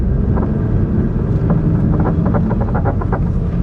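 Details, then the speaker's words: Stage 1 VW Golf GTI with an RTS clutch and flywheel, driving on the road; short irregular squeaky chirps over the road rumble, which the owner suspects is a dry, squeaking suspension top mount. "now you may hear a slight noise i've got a bit of a a top mount issue i think it's just a bit dry i think just squeaks you may be able to hear it already it's just a squeaking top mount"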